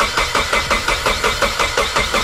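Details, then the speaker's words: Nissan S14 240SX cranking during compression test after oil and spark plug change, cylinder reading about 190 psi; even rapid chuffing starter cranking with no skips, good compression. "did the things over 200 that was that was 190 yeah yeah you're making good compression regardless if you're always if you are there's this motors good far ballgame"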